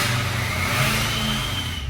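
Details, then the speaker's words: 6.0 Powerstroke diesel warming up, with light throttle applied: a clean, steady turbo whistle rises above the engine and settles into a rumble as the VGT cycles. Shows the VGT turbo working normally. "You give it a little throttle, you guys can definitely hear the turbo, and watch the VGT cycle. See how it's moving around, and you can hear how the turbo whistles and then it kind of goes to a rumble. That tells you that the VGT is working."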